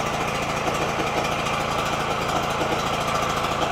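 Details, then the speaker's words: Generator unused for a long time, just started on choke (owner suspects water or sediment in the fuel bowl): fast, buzzy single-cylinder run with an uneven, hunting beat. Running rough, cause unconfirmed. "it is not running well at all"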